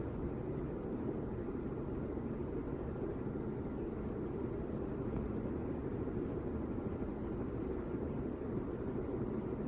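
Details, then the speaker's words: 40-year-old Casablanca Victorian Gallery Edition ceiling fan running on high: steady, even rush of moving air, helicopter-like, with no knocking or rhythmic wobble; normal running on high speed. "Thing sounds like a helicopter with how much air it's moving around."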